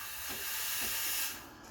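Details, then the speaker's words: Breville Barista Express BES870 steam wand briefly turned on after steaming milk to clean the inside of the wand: short strong steady hiss cutting off cleanly without sputter; normal steam wand purge. "i'm gonna turn on the steamer quickly this is very important turn it on just to"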